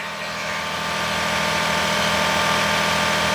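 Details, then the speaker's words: Daihatsu S210P mini truck engine after new OEM camshaft and phaser, sat two years, 180 psi compression: steady, even idle at about 220 firing pulses a minute, no knocks or misses; running smoothly. "How much relief do we have now? This old girl's running again."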